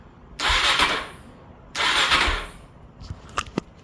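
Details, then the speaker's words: 2022 Suzuki DRZ400 salvage bike, about 12,000 miles, dry sump, oil level unknown, cranked with the clutch held in to check the motor is free before an oil change: two short bursts of even, free whirring with no binding or clunks; turns over normally. "we can hear that it turns over just fine. So turns out I think there is some sort of clutch safety switch on here, which appears to be right here."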